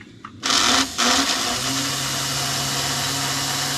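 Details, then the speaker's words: Another Lionel 350 transfer table motor, compared against the just-repaired one for quietness: after a click it spins up to a steady, even low hum with a light whir; quiet and smooth, normal motor run. "let's try it and see which one's quieter because this one runs pretty quiet and smooth as well"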